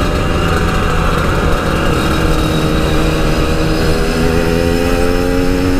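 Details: Yamaha RX King two-stroke after repair of high-rpm stutter (brebet) that occurred only while riding; continuous buzz climbing smoothly under load, no cutting out; recorded riding in half-face helmet with wind noise; normal high-rpm running.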